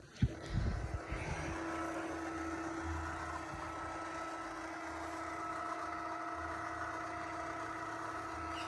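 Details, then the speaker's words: Litter-Robot 3 after fixing a clicking noise by reseating the globe arms in their base crevices and back lips: a brief clatter at switch-on, then a quiet, even motor hum as the globe rotates, with no clicking or popping. "this is the test to see if it's gonna click so far so good this is usually where it clicks obviously need to clean out my kitty litter box all right no clicking this is great"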